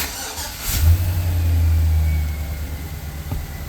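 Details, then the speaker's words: Chevrolet Silverado that would not start, with ABS, airbag and charge lights on, fixed by unplugging a connector: engine cranks briefly, catches cleanly and settles into a steady, even low rumble with no misses or knocks; healthy start. "Truck fires up, no issues, running perfect."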